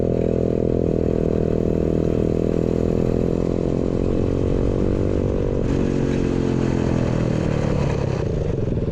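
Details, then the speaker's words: Pagsta chopper build with new 125cc 4-speed engine, kick-started, new exhaust made: crisp, steady single-cylinder beat that revs cleanly and settles evenly with no knocks; normal running. "sounds good guys it's got a nice little St to it yeah I'm happy with that way better"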